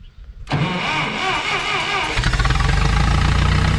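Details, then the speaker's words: Long-idle vehicle Sid, sitting for months, fresh gas added after brakes partly taken apart; brief crank, catches at once and settles into steady even idle with a light rev: normal engine start. "gas is in there let's see what happens we know it's gonna happen she's gonna fire right up"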